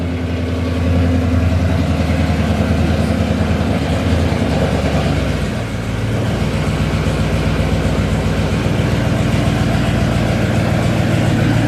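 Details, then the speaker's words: Dodge Charger Scat Pack V8 start-up and idle after new front and rear bumpers were installed: deep, steady burble with an even low-pitched lope, no knocks or ticks; sounds good, smooth healthy idle. "that sound good good told you hasn't work done"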